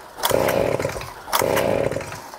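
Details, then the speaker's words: Flooded leaf blower engine, throttle held wide open with choke off: two quick rope pulls, raspy whirr each time without catching; flooded engine cranks without starting until cleared. "So I'm going to get started here, throttle wide open, choke off, and I'm going to pull it until it starts."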